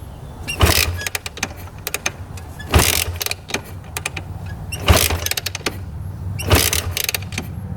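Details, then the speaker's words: 1986 Honda TRX250R quad after sitting: four firm kick-over strokes about two seconds apart with good compression and no knocking, but it never fires; cranks but won't start, owner suspects carb needs cleaning from sitting. "kicks over good. Feels like it has really good compression. I don't hear any knocking in the engine at all, but she doesn't want to run. Probably just needs a quick carb clean, I'm guessing, from sitting."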